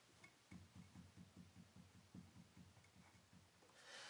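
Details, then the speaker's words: 1966 Mustang front wheel rocked by hand: quiet regular low knocks four or five a second; sounds like loose wheel bearings but underside of the spindle is worn, so inner race moves up and down, causing play. "see that sounds like my wheel bearings are loose but they aren't what that is is the underside of the spindle is worn out so no matter how much you tighten the wheel bearings the inner race moves up and down on the spindle"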